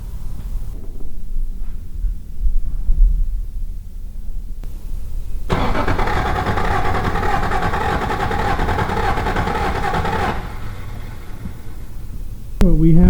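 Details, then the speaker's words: Toyota Supra once moss-covered with no compression, after correcting timing found 180 degrees out: starter cranks about five seconds at even beat near four per second without firing; compression now building, about 125 psi read. "all right and it sounds like it's building pressure that's what you want"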